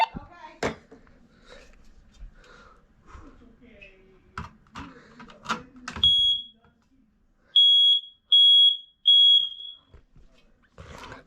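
A loud high chirping alarm tone sounds in clean repeated bursts of about a second each; the bedroom smoke alarm is working normally.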